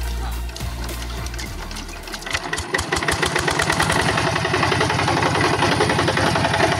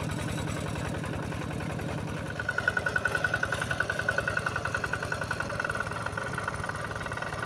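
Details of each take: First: Yanmar TF85 diesel on a tractor in a rice field, which the owner reports as running rough: after start-up, a hard, regular knock of about three to four beats a second, louder than normal. Points to a broken bearing. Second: Yanmar TF85 single-cylinder tractor diesel after repair: steady idle at about 214 beats a minute, with a light metallic rattle from loose, worn tractor body panels. The engine itself runs smoothly, normal idle.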